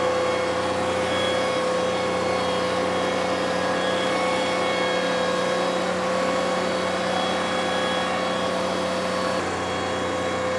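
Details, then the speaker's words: John Deere 2038R compact tractor pushing soil hard during backfill, microphone worn by the operator: a steady high whine over the engine drone under full load; normal hydrostatic transmission whine. "The whine comes from the hydrostatic transmission. You'll hear it the loudest when the tractor is pushing or pulling as hard as it can pull."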